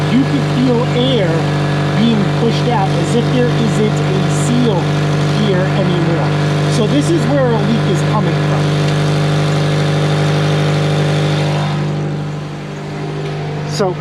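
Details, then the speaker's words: 2003 Honda Element at idle with a profoundly loud exhaust leak: rhythmic puffing tick about twice a second on the exhaust note; a leaking exhaust donut gasket found underneath was the cause. "as you guys could tell this is profoundly loud it was still very very annoying so we're gonna do is we're gonna climb underneath and look for a leak"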